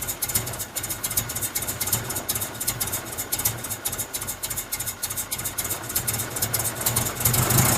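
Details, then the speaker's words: Truck running on homemade wood gasifier, first start: ragged idle, uneven firing pulses about four a second with hiss on top; rough running, owner feels it is starving for air. "It's running again. It's rough. Feels like I'm starving for air. It's still running."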